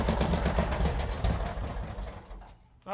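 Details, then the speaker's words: Mini NASCAR go-kart engine flooded by water from the fuel lines sitting in the carburetor. Uneven popping about four times a second, then fades and dies within two seconds; sputtering and stalling. "There's a bunch of water that was I guess in the fuel lines and now it's just sitting in the engine. That can't be good."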